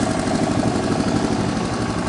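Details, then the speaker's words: 1985 Honda ATC 125M after a rod knock fix, with the wrist pin replaced and the oil jackets reseated: a steady, even single-cylinder putter at idle with no knocking or rattling, no oil smoke, and the carb still needs fine tuning. Normal idle. "You can hear it's nice and quiet now. Doesn't smoke either."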